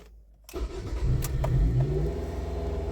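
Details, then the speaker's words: 2005 Ford Focus ST after the MAF sensor was replaced for code P0104 (MAF circuit intermittent): quick crank, clean catch, then a steady, even idle that no longer hunts up or down. Normal start and idle, apparently fixed by the new MAF. "see what happens oh that sounds much better what i did was i replaced uh oh i want to say too quickly what i've did is to replace the mass airflow sensor and that seemed to fix the issue"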